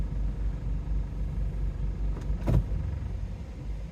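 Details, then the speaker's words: Engine vibration at idle with the transmission in D, also in R before the fix; a steady, deep, uneven rumble and shaky low throb. A new crankcase ventilation valve did not cure it in D. Check-engine light is on for the catalyst; owner suspects low transmission oil. "Не, не помогает прямо. Вибрация идёт, наверное, слышно даже на камеру."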